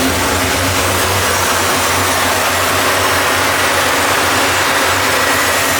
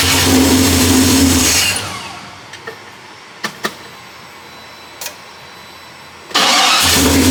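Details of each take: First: 1973 Impala 406 small-block Chevy V8 after replacing a collapsed lifter and fitting 2-piece guide plates on aluminum AFR heads, total timing about 36°. Steady idle with a smooth hiss on all 8 cylinders while warming up. No valvetrain ticking. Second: 1973 Impala 406 small-block Chevy V8, first start after collapsed lifter and guide plate repair; long crank before catching, a rough rev, second crank also struggles, raw fuel smell. Hard start, ignition timing suspected off.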